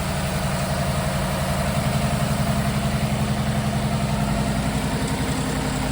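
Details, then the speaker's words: 2014 Ford Expedition with swapped Coyote V8 on first start-up after sitting and oil pump gear replacement, idling steadily with light fast valve-train rattle; considered expected, old fuel present. "a little valve rattling, but that's to be expected when uh it's been sitting for a while and we did oil pump gears."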